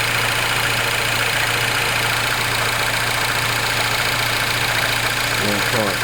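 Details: R56 Mini Cooper S, morning cold start: cold idle with quick, light rattling tick over a hissy background; abnormal noise when cold, cause not identified.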